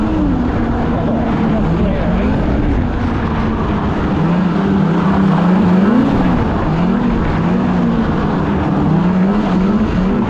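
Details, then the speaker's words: 2016 Polaris Indy 600 SP snowmobile after plugged fuel filter fix and new Ultimax belt, grass dragging through mud without snow: loud steady note climbing and holding high revs under hard pull, no bogging or stumble, hitting needed rpm; normal full-throttle run. "the sled's pulling hard you know that belt's working great you know she's running good we're hitting the RPM we need to"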